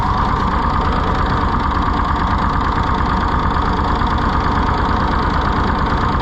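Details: Rusty, neglected auction-bought Ford 4000 tractor just brought to life: lumpy loping beat about two pulses a second that never picks up; runs rough, governor seriously wrong with no throttle action, carburetor butterfly poor, flooding suspected.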